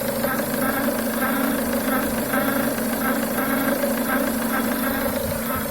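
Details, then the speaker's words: Renault Duster 2.0 engine at idle: rhythmic nasal quacking/"crowing", about two a second, heard from the left side of the engine, caused by a failed crankcase ventilation (PCV) valve membrane; noise returned after swapping the Korean valve for a Chinese copy. "кукареканье ушло поменяв клапан на кореи на китайский аналог просто послушать ты чё происходит"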